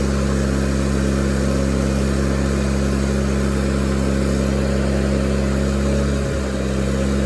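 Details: Miller Bobcat 225G welder-generator, idle for years, after starter solenoid, ignition pickup, alternator, fuel pump and fuel line repairs, while welding: even drone holding speed under load, one brief dip near the end; the welder works fine.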